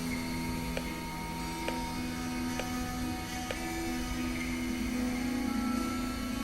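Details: Computer after repair of an intermittent hard drive controller failure (drive power wires resoldered, 12 V and 5 V): even clicks about once a second as the drive spins up quietly under music during the memory test; boots normally.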